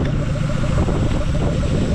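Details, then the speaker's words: Mazda B2200 carbureted engine, very first start after 20 years on a new fuel system, still on 20-year-old oil: low, even burble holding a steady beat with no stumbles or knocks; idles cleanly on its own. "yeah she runs look at that guy she's running and she's freaking idling"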